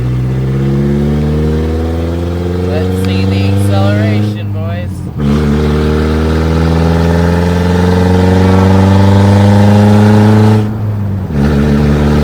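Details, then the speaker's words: 1999 Mazda B2500 with a rebuilt 1999 Ford Ranger 2.5L engine, on its first test drive at around 55: engine note climbs smoothly through each gear with brief dips at shifts, no stumble. Sounds more powerful than it is. "sounds pretty good it sounds way more powerful than it is"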